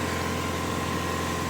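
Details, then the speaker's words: Mitsubishi Evo 2 with swapped Evo 7 engine, after repairing power steering failure with a new hydraulic hose, idling while steering lock to lock: smooth steady idle, only a faint constant tone, no whine or groan; pump sounds healthy. "there's no noises comeing from the power steering units that's fine that should be fine"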